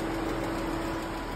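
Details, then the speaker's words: Ram ProMaster van V6 idling: steady run with a faint tick and slight unevenness, not direct-injection noise but a bad lifter causing a cylinder-one misfire; fix requires pulling the camshafts to reach lifter followers and rockers. "Hear it? No, that is not the sound of direct injection. That is a bad lifter. It's a misfire on cylinder one."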